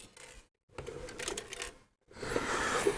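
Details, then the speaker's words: Non-working Denon DRR-M10 cassette deck shaken before disassembly: short bursts of light clattering with each shake, stopping between them; a loose part is rattling around inside the case. "so I'm going to whip it apart first just to um make sure there's nothing catastrophic inside it because I notice it rattles if you can hear"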